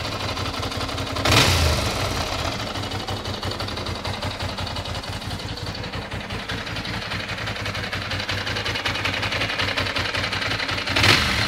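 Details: 1996 Ducati 600 Monster twin idling with a ticking rhythm of about three beats a second and two sharp throttle blips. An extra engine noise is present, cause unclear.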